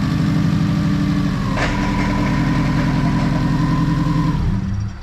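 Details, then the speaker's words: Subaru WRX on jack stands, engine running, put through first and second with no load: rough gritty grind over idle; rear wheels spinning, front not; front-wheel-drive section of transmission seems noisy, gears suspected damaged, transmission then removed. "So I am able to shift through the gears with no weight on it, and it still grinds. It seems like the front wheel drive part of the transmission is the one that's noisy."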